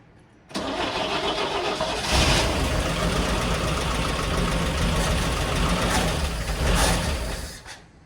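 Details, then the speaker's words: 1970 International Scout, first start in years, fed poured two-cycle gas: starter churns over a second, engine catches ragged, surges unevenly and dies; hard starting, owner suspects flooding. "Yeah, I keep flooding it. Try again. What the heck?"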